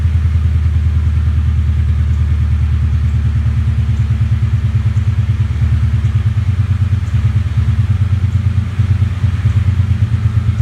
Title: 1998 Mustang GT misfiring